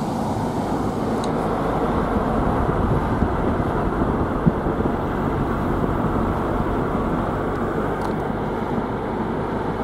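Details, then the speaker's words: Renault Espace IV 2010 driving with steady road and tire roar and no ticking after small rocks stuck in the tire treads were removed. "okay and now we should not have those tik tik tik sounds"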